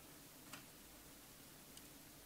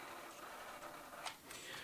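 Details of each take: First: 40-year-old TRS-80 CGP-115 pen plotter (ALPS mechanism) after repair attempts: a sharp clunk, then quick, even stepping chatter as the head carriage travels. The head moves normally, but the pen solenoid is not working. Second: 1980s TRS-80 CGP-115 pen plotter (ALPS mechanism), about 40 years old, holding the paper feed button: faint steady high buzz with light ticking while the roller stays still. Roller stepper motor is energized but stalled, cause unknown.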